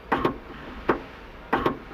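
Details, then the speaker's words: PT Cruiser rear hatch that would not open (code B186D), with new hatch switch/handle plugged in; crisp, repeatable double clicks of the latch actuator in quick pairs; normal latch operation, confirming the old switch was the problem. "you can hear the latch opening and closing so we have confirmed this is our problem"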